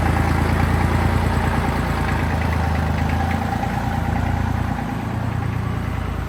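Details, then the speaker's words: Tractor diesel idling evenly with a low clatter of about three beats a second, after running about 10 minutes to normal operating temperature in late November; it runs fine with no abnormal noise. "So that got her up to a normal operating temperature. Seems to be running just fine."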